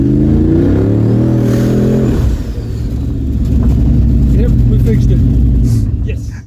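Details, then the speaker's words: GT45 turbo Mustang on its first drive after an alternator fix: revs climb hard, then a choppy stutter about four times a second as it bounces off the hard-cut rev limiter. "Man, I whacked the rev limiter hard that time. It went into the hard cut."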